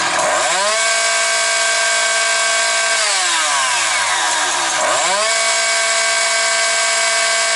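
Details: Husqvarna 365 two-stroke chainsaw with Walbro carburetor at full throttle: climbs to a high, clean scream holding a steady line, revs neither rising, falling nor hunting, then drops and revs back cleanly; normal.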